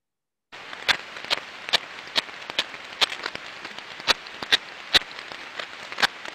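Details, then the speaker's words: Ultrasound on one of eight bearings on an asset only 6 months old, reading 2 dB versus 0 dB on the others: repetitive knocking clicks about twice a second over hiss, amplified here but low-level in the headset. Other technologies on site detected nothing; outer race crack. "like so through the laptop and through the computers right now that sound is being Amplified but in the headset it was a very lowlevel knocking sound"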